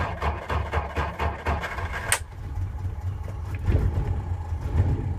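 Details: Hard start on a 6-volt system: the engine cranks in slow, even pulses for about two seconds before catching and settling into a rough, uneven idle.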